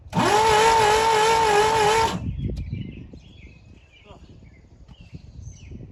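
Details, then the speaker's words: Pontiac Fiero engine, parked long, just broken loose; two seconds of steady starter whine wavering under load, turning over sluggishly: slow cranking, cause not confirmed. "Okay, well, we got it broke loose. I'll tell you what, though, the thing's not spinning over very quick at all."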